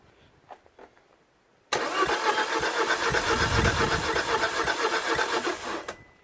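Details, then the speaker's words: 2013 Citroën DS3 1.6 VTi petrol (5FS) after cylinder head replacement, crank no start: even starter cranking near four beats a second with light, uneven strokes; compression test shows two cylinders around 75, far too low. "okay so anyway so two cylinders extremely low because 75 is no chance this is way too low"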